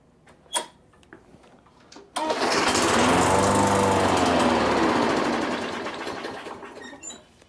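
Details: Craftsman mower with a Briggs & Stratton engine, unused since fall, with fresh fuel added and primed: it fires and runs evenly about four seconds, then the beat slows and fades until it dies. Fuel starvation from a clogged carburetor jet.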